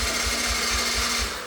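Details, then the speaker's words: 1988 Yamaha YFM80 ATV during rebuild, first start attempt with new starter, carburetor and throttle cable; starter whirs quickly with light even pulses and never fires, turning freely; owners suspect no compression. "Nice, brand new starter. It sounds great, but there's no compression and it sounds terrible."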